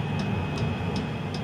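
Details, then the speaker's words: Fuel-burning coolant heater installed in a Mitsubishi i-MiEV electric car, running off a temporary fuel tank: steady high blower/turbine whine with a loud fuel-pump tick two to three times a second; normal running. "The clicking sound is the fuel pump and that turbine sound is the heater"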